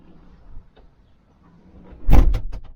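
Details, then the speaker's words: Kawasaki Ridge XR side-by-side, pre-production unit with fully enclosed HVAC cab: door thud followed by quick papery flutters as trapped air vents; owner thought something was loose, but it is normal pressure relief flap flutter. "yeah every time I Clos the door I kept hearing that noise I'm thinking man is something loose"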